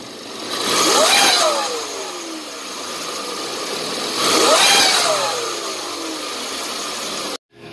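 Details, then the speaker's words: Car with engine at only 20,000 km, oil never changed: rising high whistling turbo whine with each rev blip; turbine scored, shaft with excessive play; customer also reported no 1st-to-2nd shift. "the noise continusly come from Turbine This fan part This part makes noise, as you see"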